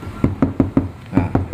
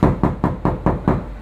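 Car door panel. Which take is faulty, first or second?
second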